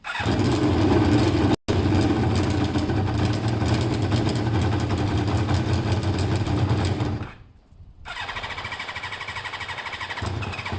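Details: Kawasaki ZL600 twin with two same-size air holes each to let in more air, balancing air versus fuel: fires, runs uneven and lumpy, dies and catches again; still rough, owner thinks it's "kind of close".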